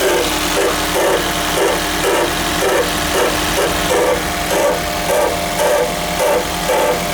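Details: Coarse grinding growl pulsing just under twice a second at cold startup on a 2001 first-generation Toyota Prius; the noise also occurs without the engine actually starting, cause unclear.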